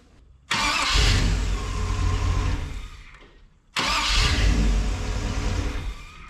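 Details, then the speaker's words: 1961 Chevy wagon after fitting a new starter, about a third the size of the old one: two strong, brisk cranks turning quickly into a firing rumble, with no grinding or clicking. It sounds much happier than the old starter. "up that starter sounds a hell of a lot happier than the old one did"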